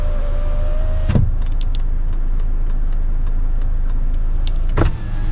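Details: 2020 Kia The New Carnival, 54,000 km, ex-company car parked outdoors: a steady window motor hum for about a second, then a clunk as the glass stops and a second clunk later; normal power window operation.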